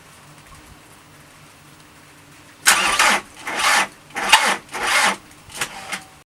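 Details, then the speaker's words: VW Transporter T4 with newly fitted engine: starter churns in uneven surges for about four seconds and never catches; later traced to a sticky solenoid caused by the immobiliser after the locks and barrels were replaced. "After a few hours of research, I think I've found the source as to why it just keeps on cranking and cranking over. It was a sticky solenoid, courtesy of the immobiliser kitting,"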